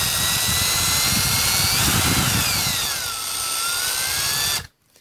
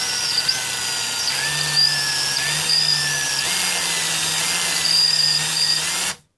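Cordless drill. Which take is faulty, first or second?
second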